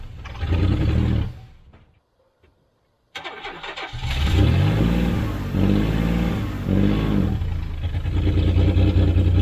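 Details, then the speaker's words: 1991 GMC Sierra 4.3 Vortec, abandoned truck with a new distributor and fuel pump, fuel pressure confirmed: a short burst, a pause, then it catches into an even low rumble, and the transmission pulls in low range. Normal running. "it runs, the transmission pulls."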